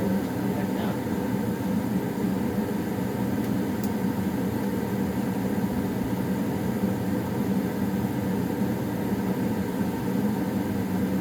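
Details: Old Goodman gas furnace around shutdown, owner notes popping as it shuts off: steady, even burner and blower hum with no pops, rattles or surges in this clip; running normally.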